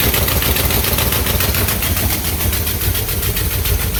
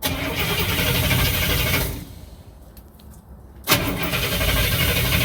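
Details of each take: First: 1967 Cadillac hearse, first start after sitting over a year, top end checked and repaired, cranked to build oil pressure: loud, lumpy low rumble with uneven pulses about two per second at idle; runs, but rough. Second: 1967 Cadillac hearse, first start attempt after top-end checks and repairs, cranked in 5-second bursts to build oil pressure: even starter cranking, pulling good vacuum, no start yet; it fires shortly after.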